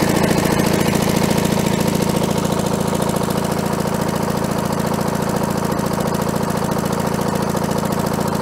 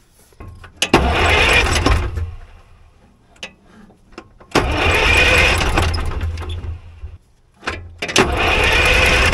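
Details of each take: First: Allis-Chalmers diesel track loader, sat many years, running after a fuel leak fix: steady, even diesel chug of a little over two beats a second with no misses, worn muffler; healthy idle. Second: Allis Chalmers track loader diesel after sitting many years, cranked with a fuel fitting loosened to bleed air because the bleeder screw is blocked by the exhaust: three long cranking bursts, turns over but no start, until fuel appears at the fitting.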